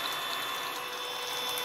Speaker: the clicking you can hear is the plastic pulley it's not part of the drive